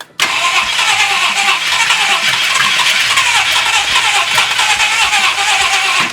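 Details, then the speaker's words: Freshly rebuilt 390 FE big-block V8 with performance cam in a 1966 Ford Country Sedan, first start with brake booster vacuum line open: catches and runs loud and uneven about six seconds before dying, from the big vacuum leak. "Brake booster, that's a big vacuum leak. Let's try that again. Might run a little bit better without this big vacuum leak."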